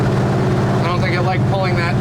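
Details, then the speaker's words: Owner's truck pulling a load in second gear: wavering gear whine over the drivetrain drone; transmission's second gear worn and long on its way out, while third gear cruising sounds fine. "I'll let you hear what this thing sounds like in second gear second gear is not happy that's been on its way out for a long time but uh especially now"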